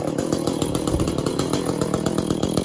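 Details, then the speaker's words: Echo CS400 chainsaw after OEM oil pump replacement, untuned: lumpy, stuttering uneven burble instead of a clean scream; runs poorly, owner says it needs tuning, muffler mod and port job. "Right now this all sucks. Needs a tuning, that might help out a little bit."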